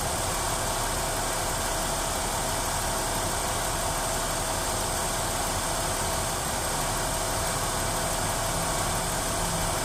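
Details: Ford Duratec DOHC 3.0 V6 idling with AC on max: slightly ragged, uneven misfire, cylinder 2, more pronounced with AC load; new coils, spark plugs and wires fixed it.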